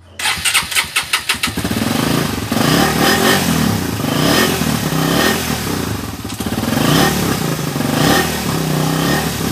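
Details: Suzuki Raider 150 carbureted motorcycle with hard starting, carburetor being checked: about seven slow cranking pulses before it catches and settles into a running idle; slow to fire.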